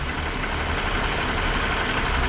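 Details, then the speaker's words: 2017 Toyota Highlander 3.5 L after water pump replacement: even low idle with no squeal, wobble or rhythmic knock from front accessories; no longer making the earlier failing-pump noise, normal idle. "no longer making that noise it was making in the beginning of the video."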